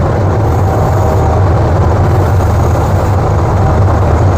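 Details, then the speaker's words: 1967 GMC C15 running rich: rough lumpy idle sags and nearly stalls when the intake manifold area is sprayed with ether, revealing a vacuum leak at the manifold; advanced timing also suspected; runs well after fix. "and if I spray it hear that change it's just about to die and that was kind of coming back up a little bit"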